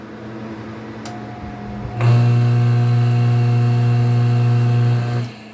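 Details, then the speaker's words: Water pump switched on: loud steady low hum for about three seconds with no spin-up, motor energised but stalled; only starts if the impeller is turned by hand. Suspected starting-winding failure or faulty capacitor, not confirmed. "I turn it off, I come back and turn it on and it stays vibrating."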